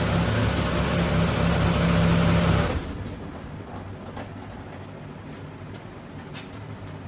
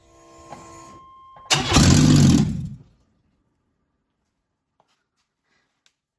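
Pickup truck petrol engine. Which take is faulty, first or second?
second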